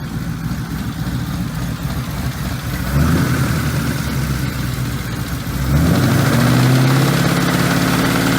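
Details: Ford Mustang 4.6L 2V V8 idling after a cold start with a deep regular knock and tick that steps up with light revs: rod knock, engine being removed.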